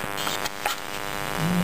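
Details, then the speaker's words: Hard drive running with clear Elmer's glue poured on the platters, which foamed: spindle no longer spins, only a steady low electrical buzz. Stalled spindle motor. "it's not spinning anymore look at that oh it's like mixer"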